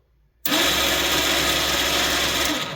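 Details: Badland ATV winch, previously jammed and only spooling out (owner suspects rainwater in upward-facing handlebar switch), starts abruptly and runs with steady high buzzing whir spooling cable in normally.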